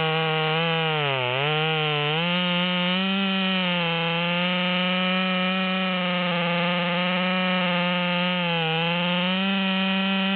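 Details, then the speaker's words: Ported Stihl MS200T with a 25-inch 3/8 bar, after a carburettor adjustment: a high, strong two-stroke howl dips briefly as the chain bites, then pulls right back up; cuts cleanly at full power. "we can see that this version is cutting a lot higher in the wood than the other version and it motors right along even though the tip is struggling"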